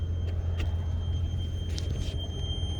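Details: Kenworth truck with the check engine light just come on: a thin, steady high-pitched whine above the deep idle rumble, heard well from the front. Source unknown; owner suspects something is clogged.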